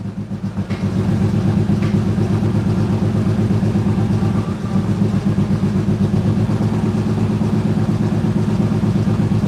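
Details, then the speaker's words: BMW E85 Roadster just after starting: idle with uneven lumpy pulse, beat stumbling now and then instead of holding steady; rough running with a brief misfire expected to clear. "Little bit rough here. Let's try it again. One more time. Sounds like she got a little bit of a rough misfire for a second."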